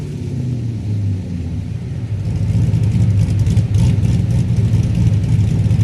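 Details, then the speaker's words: Chevrolet Blazer with a stock 5.3 V8 and a stage 2 cam making peak torque around 5200 rpm, with the two-step launch limiter set to 5000 rpm. Revs climb, then hold near 5000 rpm with choppy, stuttering cut-in and cut-out; the limiter is bouncing off its set point as intended. "So, I set my twostep to 5,000 RPMs. That's probably going to be about the best place to launch from. Let's see how that sounds."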